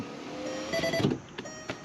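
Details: 2004 Volkswagen New Beetle MK4 passenger window after replacing the window regulator (rivets drilled out); smooth even motor hum as the glass travels, soft stop, no crunching or binding. New regulator works properly.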